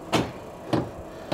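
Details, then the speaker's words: Vevor 8 kW 12V diesel parking heater (2024 model) at startup: the dosing pump priming normally with sharp single clicks about every 0.6 seconds, drawing roughly 7.5–8.3 A from the battery before the fan starts. "So, nun hat die Wevor 8 kW Diesel-Standheizung angefangen zu pumpen. Man hört die Pumpe klackern."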